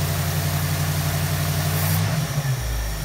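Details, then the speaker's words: 1973 Ford Mustang convertible 302 2V, 2100 carburetor, warmed up with choke fully open at 1320 rpm fast idle; steady V8 rumble drops and settles lower and even as the high idle cam releases to about 800 rpm; normal warm idle. "okay the engine has warmed up enough to open the choke fully and we're running at 1320 rpm that really is about where i wanted to be"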